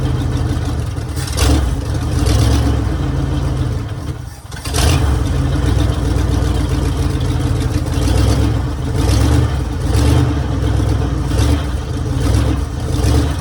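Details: 1966 Mercury Monterey big-block Ford V8 after a fuel leak fix and adjustment; deep, even rumble climbing smoothly through several blips and settling back without misses or knocks, "running like a top"; normal running and revving.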